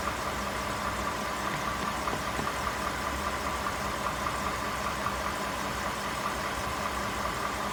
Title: 18 F150 5.0 engine knocking